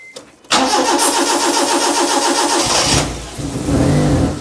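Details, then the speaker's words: Proton Wira off the road 12 years, cranking on a weak battery and catching briefly on sprayed brake cleaner at the intake then dying; spark and compression present but no fuel, fuel pump suspected failed. "It's got ignition. It's got compression. Ain't got no petroleum. It's wanting to go, isn't it? It's wanting to run on it."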